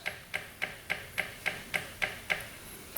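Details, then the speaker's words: Honda Ruckus scooter that would not run, already with spark and compression; the fuel pump ticks about three and a half times per second and works but pushes only a slow trickle, and the fuel looks clear. "It's pumping some. Just keep on going with it. Kind of a slow pump, but I'm guessing these scooters don't need a whole lot of"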